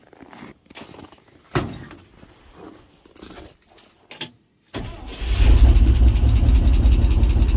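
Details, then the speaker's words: 1967 International 1200 pickup old V8 after 20 years sitting, after fixing an accelerator pump leak: catches after a few cranks and settles into a rough idle with a quick steady ticking; lifter tick suspected, not confirmed. "I'm gonna pretend I don't hear that lifter ticking"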